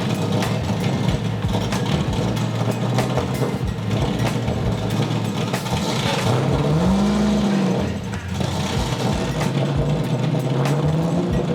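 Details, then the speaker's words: LS1 V8 swapped BMW E30 on jacks, warming up: under light load at low revs it stumbles and surges unevenly, revs wandering, breaking up and needing feathered throttle; cause not confirmed. "as you guys can probably hear it's sort of breaking up and not really running that nice even just under a little bit of load down in the lower rev ranges"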